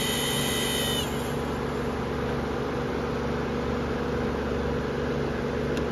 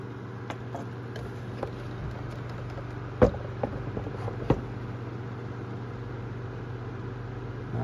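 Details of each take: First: New, donated Amazon Basics F26-16A floor air circulator fan on high; steady drone with a few fixed tones over the air rush, louder and rougher than expected; abnormal fan noise, cause unknown. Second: Amazon Basics F26-16A air circulator floor fan, secondhand, started on low speed in about 40-degree cold; a little rattle and light taps at the start, then a steady low hum, running okay and moving good air, 630 feet per minute.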